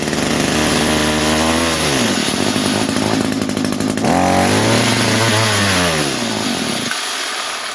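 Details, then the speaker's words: 22-year-old Echo trimmer, sat for years, primed with two-stroke fuel, at full choke and full throttle: surges and sags, revs hunting before dying out; carb not giving enough fuel, lean running, though compression is good. "Yeah, see, this carb is just not really giving it enough fuel. I can run it with the choke on. This is full choke, full throttle. But this carburetor is not happy."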